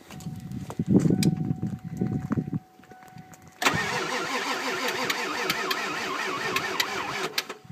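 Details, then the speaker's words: 1995 Ford F-250 Powerstroke diesel, 218,000 miles: slow labored cranking then rapid starter whirring, never fires despite starting fluid; long cranking ran batteries dead, suspected failed glow plug relay. "we've cranked on it for a while and We've ran the damn batteries dead"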